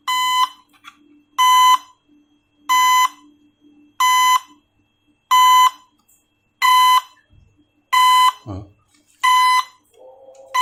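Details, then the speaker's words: Drone after crashing into a bird: loud even beep bursts repeating about every 1.3 seconds, indicating a motor problem; rattling inside suggests something loose; motor fault warning beep. "Kalau motor bermasalah pasti dia akan ada indikator bunyinya ya."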